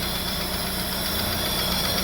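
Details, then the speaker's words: Daewoo Nexia at idle, camshaft already replaced three times and a knock that comes and goes: even idle with a sharp, light ticking from the head; valve-train ticking from a loose valve in a worn guide. "Xo'p. Bir yo'qolib qolyapti. Bo'ldi o'chiramiz. Stok bir paydo bo'lyapti."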